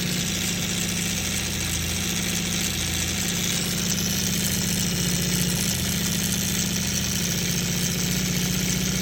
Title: CB550 rattling sound. Anyone know what could be the issue?